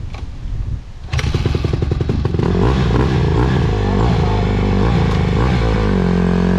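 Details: 2020 Honda CRF150R big-wheel four-stroke dirt bike, ridden little and left sitting, test run after adjustments with a clean air filter: loud, hard revving with a ragged, uneven bottom end before smoothing out; stumbles off idle, owners suspect it still needs a carb clean.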